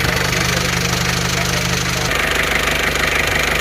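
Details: Isuzu Panther 2.3 diesel after test drive following rebuild for a broken piston: even idle clatter about three beats a second, steady, no misses or hunting; no smoke at oil filler, blow-by cured.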